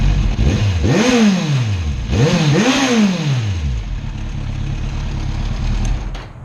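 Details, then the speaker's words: 2016 Kawasaki Z1000 exhaust in quiet mode: clean start, two crisp rev blips rising and falling smoothly, then an even, muted idle; healthy engine, normal start and revving. "Let's hear what she sounds like in stealthy quiet mode."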